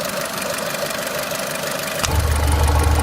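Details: Renault Clio 3 1.4 16V engine at idle with a rapid light tapping of about 3.5 per second, then the low hum swells; engine knocking of unclear origin.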